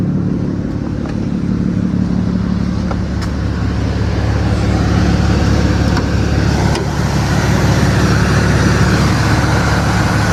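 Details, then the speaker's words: A 1998 Lexus GS300 after an AC compressor replacement, engine running with the hood open, clutch engaged and blowing cold, idles and revs evenly. There is no whine or grinding: the compressor operates normally. "Compressor clutch is on, everything is good. So rev it up real quick. I don't hear the whining sound"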